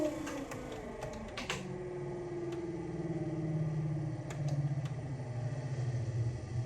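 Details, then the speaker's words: Camper's water pump, during plumbing test, gives a low hum with light clicks that changes pitch and slows, stopping as pressure builds; normal pump shut-off. "just hear the pump slowing down and it's stopped."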